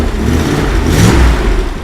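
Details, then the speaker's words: Triumph Stag 3.0-litre V8, fully reconditioned engine and cylinder heads, on test bed with mufflers: one clean throttle blip rising and falling smoothly, quiet, no tapping, knocking or misfire; normal revving. "absolutely sweet as a nut, doesn't it? Really is. Probably a makeshift exhaust, but... Oh, don't worry about that. No, well, I'm surprised how quiet it is actually, even with those mufflers on, because it's quite a full system otherwise, isn't it?"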